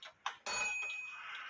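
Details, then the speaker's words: Eight-day shelf clock gong, out of adjustment for a long time: a couple of light ticks, then a single strike that dies quickly with a dead, non-vibrant ring. Hammer set too close to the gong. "you hear you hear that it wasn't a vibrant sound it was like a dead ring sound if you didn't hear it we're going to Play It Again the problem is the hammer is too close to the gong itself"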